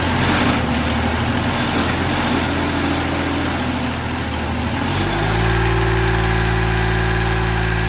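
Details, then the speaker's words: Mitsubishi L3E three-cylinder diesel, about 20 hp, powering a vertical log splitter, after low-cost rebuild for zero compression in middle cylinder (valve problem); chugging with loose clattery rattle that continues after revs drop, cause unconfirmed; coolant leak also noted. "Sounds like crap. This is all rattling and loose."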